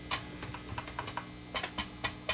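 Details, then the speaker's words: Hughes & Kettner TubeMeister 18 amplifier going into protect mode, brand-new Russian tube: each tap on the tube rings back through the speaker as sharp ping over low hum; microphonic, faulty tube, replaced. "that tube that tube is shot so I'm going to put this other one back in uh at least this one doesn't make noise"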